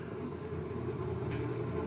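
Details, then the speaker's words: 1960s fiberglass dune buggy converted to salvaged forklift electric motor, battery cable on 6-12V, low gear: even steady mid-pitched hum under load; it hummed terribly unloaded but smooths out under load. "The wild thing is when there's no load on the motor, it was humming. It was making a terrible noise, but once there's a load on it, it smooths out."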